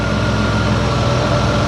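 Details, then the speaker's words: 2004 Ford Escape 3.0L V6 after head gasket, timing cover and oil pan repair, idle relearning minutes after restart with battery disconnected: even steady low hum, no stumble, ticking or misfire; smoothing out. "it does take just a few minutes after you restart it uh for it to start learning the uh ID aler control get that figured out there it kind of smooth out right"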